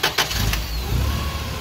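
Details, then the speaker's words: Toyota 8 Series 5,000 lb LPG forklift, 4Y-ECS engine, after reconnecting the FCM: a short crank, then it catches at once and settles into a steady low idle; it starts right away. "starts up right away."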